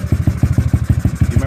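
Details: GY6 scooter after handlebar controller setup, running on manual choke; small single putts along in quick even low pulses about six a second, keeps firing, sounds healthy.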